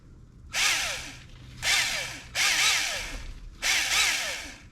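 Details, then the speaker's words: 2002 Traxxas T-Maxx TX 2.5 nitro RC, unused 17 years, external starter applied: short high smooth whirs with no compression pulses; something broken, starter not engaging, or part missing suspected; starter spinning freely. "yeah it's just spinning freely here look so something there's either something's broke or the starter is not engaging or something's missing"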